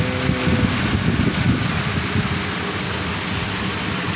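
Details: 1990 Nissan Safari petrol engine, after its crank no-start fault is fixed, catches and settles into a steady low idle with an even rumble; it sounds healthy.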